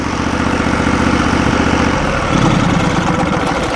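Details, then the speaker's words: Norwood LumberMate portable band sawmill engine, owned about 10 years, started after sitting all winter, with fuel filter changed last year: steady, even idle about four beats a second, no knocks or misses; healthy. "well it sounds good uh we're all excited to go ahead and start uh using it here in the spring"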